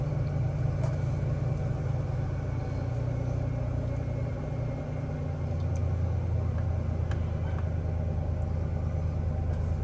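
A deep, uneven rumble with an irregular lope, roughly two beats a second, and no steady rhythm; the engine is idling rough. Cause suspected, not confirmed.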